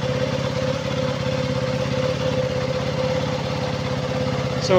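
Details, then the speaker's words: KTM Duke 200 after the leaking fuel pump hose was replaced: the single cylinder holds a steady, even idle with no stalling, where before it died within 3–5 seconds. Normal idle. "na po umandar na po siya normal na po yung kanyang andar kanina na parang namamatay siya hindi siya nagtatagal around 3 to 5 seconds namamatay siya kaagad"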